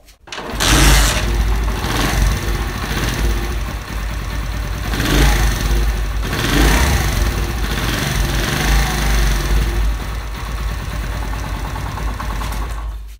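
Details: Honda 70 single at steady idle with a light, fast ticking over the exhaust beat; loose tappets, clearance to be set with feeler gauges.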